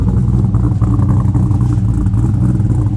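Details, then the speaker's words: Engine on its original ECU, cold, idle adjusted down and idle plate hole enlarged: steady, even low idle with a smooth regular beat, no misses or hunting; likely high idle because it's cold; normal idle. "oh it's probably high idle cuz it's cold that's why but listen to that"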